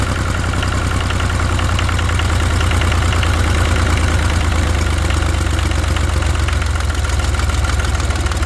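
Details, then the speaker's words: Old International diesel 4x4 tractor, first run after sitting under bushes: steady even low chug at idle, no knocks or misses; runs well, white and black smoke attributed to ATF. "I'd say it runs pretty good. All that white and black smoke is definitely from the ATF."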